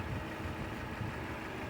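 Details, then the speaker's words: 1993 Honda Accord after a crank/no-start, caused by a plug left in the replacement muffler, was fixed: first start gave an erratic idle that cleared out. It now holds a steady, smooth low idle while warming up, with no misses or knocks. "and finally it cleared out and now it's running fine I'm just waiting for it to warm up all the way"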